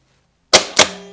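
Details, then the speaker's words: Starter on a bench with the cable unhooked from the solenoid battery post to simulate a bad connection: two sharp metallic clicks and a fading ring, no cranking. The solenoid clicks but the starter does not turn. "i'm sure lots of people have heard this before when the starter doesn't work but they hear a click in our business we hear that all the time well the starter's just clicking well let's simulate that and see what happens"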